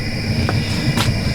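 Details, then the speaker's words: Fan-assisted burner on a small sprung-arch stoneware kiln run gently, not pushed hard, with biscuit-fired pots inside. Steady low roar with a faint fan whine on top, even and unwavering; normal operation. "here's the one with the oxygen and we're not kicking it awfully hard right now"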